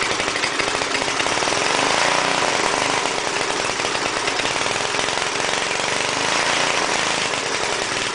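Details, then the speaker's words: Small single-cylinder air compressor engine after head and valve seat cleanup and oil change, muffler off, on choke: runs ragged, speed hunting up and down; erratic running, owner suspects governor or carburetor. "there could be a problem with the governor cuz uh it's just like you can see what it's doing I don't know exactly how these uh compressors are controlled"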